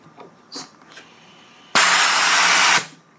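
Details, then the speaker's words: Joe Woodworker V4 version 2 Venturi vacuum press with a 2-inch PVC "tank" and bridge jig, seal not yet stapled: sharp steady hiss of air for about a second after light handling; vacuum leaking at the seal, which needs tightening. "There's a little leak in here right now. Let's see if I let it go. There's a leak. So that means I got to tighten this up. So there's a leak right over here."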